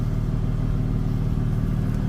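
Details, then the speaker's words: Ford F250 Super Duty, warmed up a few minutes after the vacuum line was moved to another source and the old port capped: steady, even rumble at about 900 rpm with no hesitation or miss. Normal idle. "And it's idling perfectly fine. It's idling at, I think, like 900, I said. And I've been letting it warm up for the last few minutes, and it's doing pretty good."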